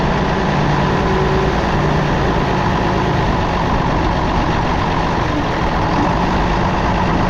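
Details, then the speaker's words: Galion crane with International D282 diesel, idling unevenly with a soft repeating foop-foop puff from the exhaust under steady clatter; runs poorly until fully warm; owner suspects burnt valve or cracked valve seat on cylinder number one, unconfirmed; after injection pump rebuild. "This engine's got a burnt valve or something on number one. It doesn't run real good till it gets good and warm. And it's got a foop foop foop noise out the exhaust."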